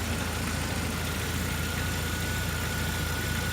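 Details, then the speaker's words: Jeep TJ at steady idle after cooling-system work (new thermostat, water pump), 70/30 coolant mix, no leaks; heater now working again. Smooth low hum with no knocks, ticks or misses; normal idle. "all right she's now running we've got some good news very good news we got Heat again I'm loving life"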